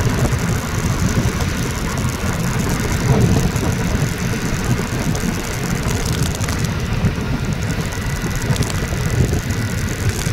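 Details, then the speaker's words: Rusi Flex 125i scooter riding over bumps after the front-end/front fender noise fix: road rumble and light bounce, no knocking from the front; only the phone holder rattles, normal ride over bumps. "wala na yung tunog na nakakairita kit dumaan tayo doon sa puti wala na yung nakakitang tunog ung tunog na lang ng cellphone holder talaga yung maririnig mo"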